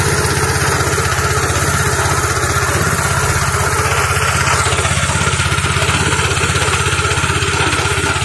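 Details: Fujijapan FJ601S 7HP tiller (2020 model) test-run at a customer's: even single-cylinder thump about four beats a second, steady and unstrained, no knock or misfire; normal running.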